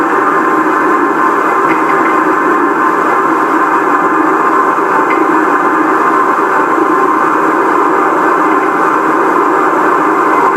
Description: Metal clanking noise coming from shaker during random vibe profile